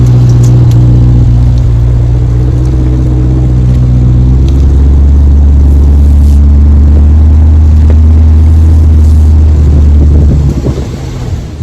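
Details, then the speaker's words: C8 Corvette at low speed after cleaning brake dust from the hub, spacer and wheel mating faces: steady low engine and road rumble with no rhythmic wheel clicking, the low-speed turning tick gone. "If you clean that really well, it removes that microfine bit of dust that's making that clickety clickety clickety, and no longer does it clickety clickety clickety."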